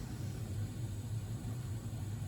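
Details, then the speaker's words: Old Udica (as transcribed) boiler relighting automatically after the aquastat cut out near 200 degrees on the tridicator gauge. Steady, even low burner rumble with no pulsing, popping or rattle: still running like a champ. "still running like a champ."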